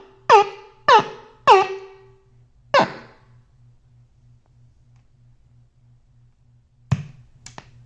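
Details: 1981 Fender Princeton Reverb tube amp under repair: four short honking whale-like squeals with ringing overtones over a steady low hum, then fade; amplifier squealing, cause unclear.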